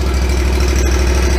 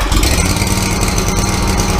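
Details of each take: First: Exmark mower with carbureted engine after a cold start, choke now off: steady, even low putter with no misses or surging; normal idle. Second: Exmark mower with a carbureted engine on a cold start with the choke pulled on: an uneven, lumpy, hunting idle. It runs rough on choke and smooths out once the choke is pushed off.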